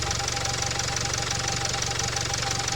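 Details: 2017 Range Rover Evoque diesel, after turbo-like noise traced elsewhere and pressure released by removing bolts instead of EGR work: steady idle, faint fast tick and light whistle, turbo noise gone, still rattly; normal idle.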